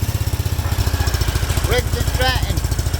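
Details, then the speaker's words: Overhead-cam twin engine running rough at low idle with uneven lumpy stumbling beat and heavy blow-by from oil fill cap; owner suspects a broken valve or bent push rod: rough running. "Pull the oil fill cap off. Look at that. That blow by. I suspect we got a broken valve drain or something."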